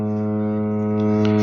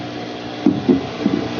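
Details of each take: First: Samsung washer-dryer during water fill with inlet valves on: loud steady droning buzz around a low hum; water inlet valve vibration noise. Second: Samsung washer-dryer after its clogged inlet valve was swapped for a temporary Electrolux test valve: steady rush of water filling with an even hum and a few light clunks, then a clean stop; normal fill.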